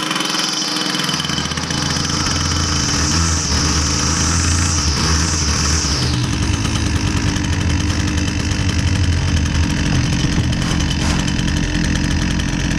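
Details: Husqvarna 122C string trimmer, two-stroke, after the fix with fresh fuel: it previously bogged and only ran on choke. Now buzzes at a steady fast idle, even and clean with no bogging or surging; runs healthy.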